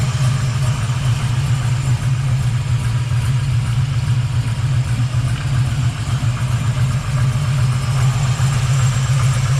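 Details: 1979 Camaro Z28 V8 after swapping the whining Pete Jackson gear drive for an Edelbrock double-roller timing chain, new balancer and water pump: deep, steady idle rumble with no whine on top; healthy and quiet.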